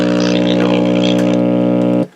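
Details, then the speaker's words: Westinghouse 837L5 five-tube AM clock radio, 120 V, drawing 29 W when switched on: loud, steady low buzzing hum with no programme over it, stopping dead at switch-off; a bad filter capacitor needing replacement. "that is a bad capacitor for sure all right well we know it works it just needs a cap"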